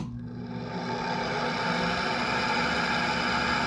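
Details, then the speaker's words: LG 8,000 BTU room air conditioner running: constant whirring hum with a thin, steady high whine on top from worn fan motor bearings. "this is my room air conditioner it's an LG 8,000 BTU bearing noise I'm done running it I want to rest the bearings that here the bearings and they're not doing too well"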